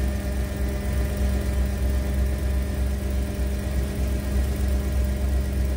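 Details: 1991 Ford Econoline E350 dual-tank van idling right after an in-place repair of a fuel tank selector valve stuck on the rear tank: steady, even low smooth rumble with faint constant hum, no misses or knocks; healthy idle.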